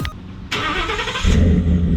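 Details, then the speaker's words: Ford F-150 after the slipped muffler and tailpipe were re-clamped to the exhaust pipe: the starter turns briefly, then the engine catches and settles into an even, deep idle with no rasp or puffing leaks. "She's fixed. Man, I'm crying here. I got rust in my eyes. Can't get it out. Alright, she's good now."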